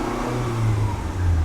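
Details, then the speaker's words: Turbo Civic with eBay turbo kit and Hondata S300 ECU, driven to heat the manifold after gasket replacement, before retorquing bolts: smooth steady engine note, exhaust leak noise gone, no exhaust escaping at the wastegate; now running normally. "sound is gone. That already sounds a million times better there. Not getting exhaust out of it now."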